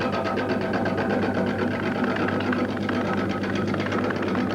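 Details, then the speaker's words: Wood lathe, gouge cutting the irregular inside of a large log: rapid regular clicking whose tone changes, indicating bark coming loose where the wood is getting thin; loose bark should be removed. "Did you hear that change of tone, that noise? Now this tells me that the bark is probably coming a little bit loose."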